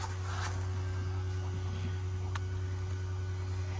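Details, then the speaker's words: Volvo 240 with a Walbro 255 in-tank pump fitted to the stock sending unit, replacing the factory dual-pump setup, running after a banjo bolt fuel leak was fixed; strong, steady low hum at one even pitch, no surging or whining; pump working well, no longer leaking. "Okay, that pump sounds like it means some business. We are no longer leaking."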